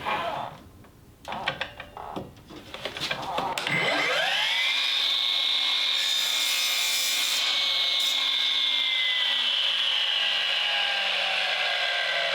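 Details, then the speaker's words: Milwaukee M18 12-inch miter saw failing. A steady high whine with a harsh gritty grind, and the blade coasts down far too slowly; the drivetrain is wearing out. "so this is what it sounds like when your Milwaukee M18 mitera is dying a slow [Applause] [Applause] death see how long it takes that blade to stop"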